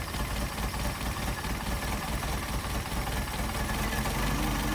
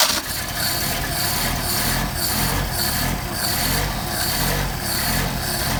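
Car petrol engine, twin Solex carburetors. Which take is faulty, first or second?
first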